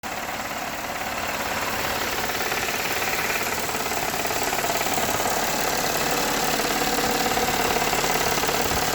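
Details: Toyota 3.3 V6 at warm idle: fast steady ticking knock, about three to four beats a second, from intake manifold side, appearing once warm; owner unsure whether rod knock or intake manifold leak.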